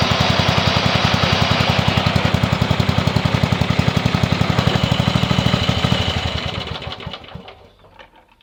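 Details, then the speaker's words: Yardman (MTD) ride-on mower single-cylinder engine after redundant safety wiring removed and kill-switch wire reconnected, tested in reverse: even rapid thumping holds steady, then slows and dies at shut-off; runs cleanly. "Well, that all runs well. Awesome."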